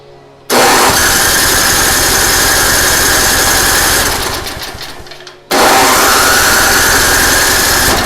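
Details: Craftsman 5/24 track snow thrower, first start after cleaning the carburetor with carb spray and compressed air: catches instantly, holds a strong, steady, even beat, dips once and recovers cleanly; runs healthy.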